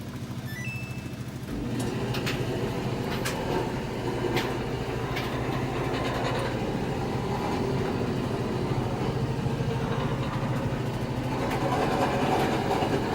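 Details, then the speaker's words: Samsung dryer before repair: the drum turns with a constant low rumble and rough metallic grinding plus loose knocks; a bad idler pulley bearing is suspected, and after the pulley is replaced the dryer runs quietly. "Something wrong in the belt, in the pulley. Maybe it's the bearing is bad, so I'm going to open up the one up."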